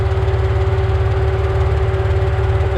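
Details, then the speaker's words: 4.0 with its usual tick, after engine lockup, not yet at operating temperature, no check engine light: lumpy uneven idle with shaking drone and visible vibration, tick worse than normal; owner suspects a dead cylinder. "i don't like that noise this car has always had a little tick it's got the 4.0 tick but maybe it's just me that sounds a little uh worse than it normally is [Music] i mean i'm sure you guys can see we got a nice vibration going on"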